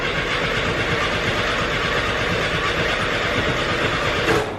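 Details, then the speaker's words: 1973 VW Bus after alternator replacement (jump box hooked up backwards), dash fuel pump switch on, some gas; rapid cranking about four seconds, no firing, no pump buzz; fuel pump wire found disconnected. "I'm just gonna go back here and look because normally you hear that fuel pump don't you I think I figured it out fuel pump wire wasn't connected"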